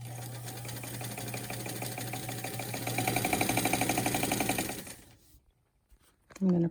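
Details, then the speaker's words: Peerless sewing machine, a Singer 15 clone, cleaned up with its original motor: even, rapid rhythmic stitching about four beats a second, smooth and steady, then stops cleanly; runs as it should. "I'm just going to sew so you can hear how this machine is. It cleaned up really nicely. It has the original motor and it's just sewing really nicely."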